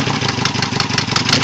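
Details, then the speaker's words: 1987 Toyota 4Runner 22RE fuel-injected four-cylinder, just back running, idling with a faint sharp bird-like chirp about six times a second; known exhaust leak, cause of chirp unknown, valve adjustment suggested. "I know I got an exhaust leak, but what's this chirping noise? You can barely hear it, but it's chirping a bird."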